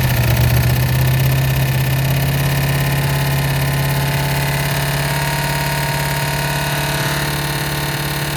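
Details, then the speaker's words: 1988 Ford Mustang GT 5.0 V8, carbureted, Duraspark distributor, factory headers, good oil pressure, best run yet: slightly uneven pulse with harsh rubbing hiss following the engine; torque converter bolts or valve train suspected, not terminal-sounding, unconfirmed. "It's obviously making a noise. It's like something's rubbing, like say converter bolts, or it could be something in the valve train."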